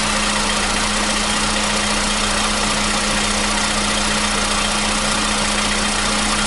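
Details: 2015 VW Polo Sedan (CFNA petrol), 76,000 km, cold start with new battery: steady even cold idle hum, no ticking or knocking; the cold-start knock present since 2016 has suddenly disappeared.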